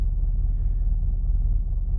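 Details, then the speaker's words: Mazda 3 idling stationary, hood up, after battery replacement, during idle relearn: deep, uneven idle rumble at very low rpm, wavering as if about to stall after the pedal is released. "It almost sounds like it wants to die. Look how low the RPMs are."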